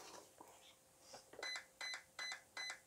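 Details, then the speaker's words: RC car ESC programmed without a card, low-voltage cutoff item; four evenly spaced high beeps, about three per second, in a quiet room show current 3.0 V per cell cutoff. ESC setting value four beeps. "so it beeps four times now that's the current setting so if i look at my table for like voltage cutoff and for four times it means that it's currently set to three volts per cell"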